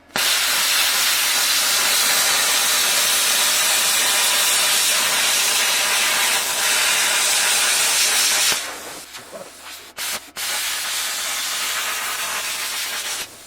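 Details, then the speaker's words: Grovers Cut40 plasma cutter after repair, hose cable replaced with PVS cable because faulty wires in the hose stopped it responding to the button: loud steady clean arc hiss about eight seconds then short bursts; cutting normally. "А, Все работает. Все как полагается. Все, полечили."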